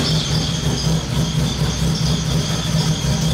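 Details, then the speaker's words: Honda K24 (stock cams) swapped into BMW E30, base ignition timing not yet set, Lambda reading AFR: uneven loping lumpy idle that never settles; mixture far too rich, to be leaned out. "okay so you can see how rich it's running that's ridiculous okay we're gonna lean it out a little bit"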